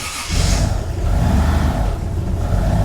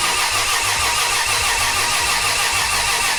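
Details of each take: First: Nissan S14 240SX with swapped 1JZ VVTi, BC 264 cams, Borg Warner turbo, cold, throttle held to idle: deep steady rumble with faint rough scrape, thought to be from the head but stops when pressing the front timing cover; harmonic balancer rubbing timing cover. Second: 1JZ VVTi-swapped Nissan S14 with CD009 gearbox, crank sensor unplugged so no ignition or fuel, dry cranking to fill oil lines and coolers; even, steady cranking about three beats a second, no knocks or scraping; normal dry crank.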